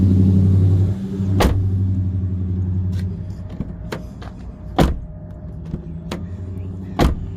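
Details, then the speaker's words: 2009 Chevy Cobalt LT from insurance auction, 58,221 miles, engine idling; a few firm clean door thuds with solid latching and no rattle or scrape, door opens and shuts fine. "door opens and shuts fine that's good"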